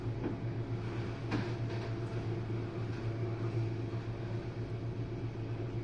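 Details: Jenn-Air dishwasher on Quick Wash with no heat dry, test run after recent low recirculation noises from suds. During the final drain the wash stops and the pump starts. A steady, low pump hum with soft water swishing, unbroken throughout. Normal drain.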